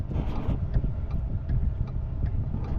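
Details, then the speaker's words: 2010 Ford F-150 5.4 3V V8, over 230k miles, after cleaning a carbon-fouled throttle body to cure a rough idle: low, even, smooth idle with a light steady tick at a stop with the AC on. The fix worked. "So, I've come to a stop here and uh idling nice and smooth. AC's on. I think the truck is fixed."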